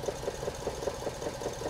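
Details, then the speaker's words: Petrol engine idling with a lumpy pulse about five times a second, misfiring because a PicoScope 2204A channel B ground lead grounded the injector's switched side through the scope's common ground. "you hear the engine misfire in not good so basically what's happening there is that we've got that ground side connected all the way up to here and basically we're grounding that injector through channel b"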